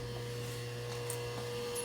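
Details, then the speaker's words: Rewired lathe with a single-phase motor on rubber isolation mounts: a smooth, even run with only a faint steady hum felt in the lathe and no knocks; the motor runs normally and much quieter. "with the isolation Mouse you can still I mean obviously you can hear it running you can still feel a bit of a hum in the lathe itself"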